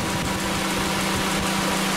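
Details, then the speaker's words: 1997 Honda Accord EX 2.2L, fully warm with the thermostat open and coolant at about 197°F: even idle under a steady whoosh of the radiator fans kicking on, no hunting; normal. "you can see now that it's fully warmed up thermostats open we're getting all that air out you can see fans coming on"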